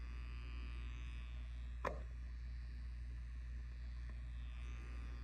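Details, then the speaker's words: Bedside clock with frozen display and no working controls gives a faint, steady low electrical hum at one pitch; buzzing fault inside the clock, cause not yet found. "So this bedside clock is giving this type of a display and no control is working, and it is giving a slight buzzing sound."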